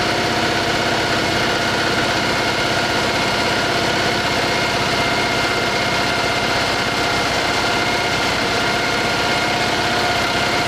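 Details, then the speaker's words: Citroen 2CV flat-twin, 120 miles after engine overhaul, after valve clearance check: quick, even buzzing idle, quieter, no top-end ticking, slight hint of exhaust blow at a clamp remaining; normal idle. "Sounds a lot quieter. I'm sure I can hear just a hint of exhaust noise, so I'm going to see if I can find a bit of clear pipe."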